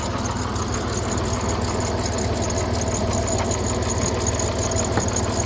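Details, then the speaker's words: Dodge Nitro 4.0 after repair, running with a squeaky belt pulley left unreplaced and a possibly weak battery: slow steady idle with light, fast ticking over the engine note; valve train noise, no check engine light. "And it runs. Although it's got a squeaky belt for pulley. But my customer did not want to replace that. Got valve train noise,"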